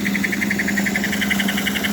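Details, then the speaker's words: Small 3D-printed tender cooling fan (beta version) at 3 volts on the 310 after about 10 minutes at 100%: steady low hum with fast even pulsing whir, no rubbing or rattle; normal running, temperature holding about 76° versus 120C without fan. "I have a beta fan it's a new version of the fan and it's operating at 3 volts which is perfect it's not too hot not not too fast"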